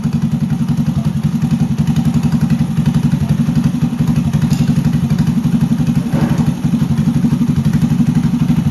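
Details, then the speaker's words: 1983 Honda ATC 110 barn-find three-wheeler, after polishing a stuck carb passage so it takes fuel and adjusting the carb: steady, even putter about four beats a second, no misses, no smoke; idling cleanly, runs like a top. "running like a top now is there in idles this is good I'm pretty impressed with it with how with how it looks I mean I would not have expected this thing to run this good no smoke or anything pretty cool"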